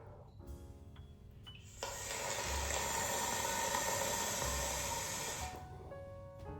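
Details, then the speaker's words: Bathroom faucet cold-water supply line disconnected, air blown through and shutoff valve opened: steady loud hiss with spitting water spray for several seconds; air and water pass freely, line is clear. "can hear that, I hope, and you can see water kind of spraying out a little bit. So that tells me this is clear."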